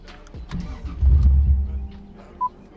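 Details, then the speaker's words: 90s Toyota Soarer, new standalone ECU startup map: brief crank, engine catches briefly then dies within a second; fuel starvation, later traced to low fuel pressure from rusted gas tank and slit fuel pump hose. "just died instantly did you replace the fuel pump relay with something"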